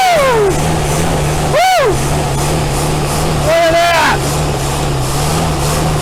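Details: 1964 Buick Riviera V8 that sat 23 years in a field, running after a starter swap while being fed gas because it keeps running out of fuel: a steady, even low idle with shouting over it, no knocks or misses.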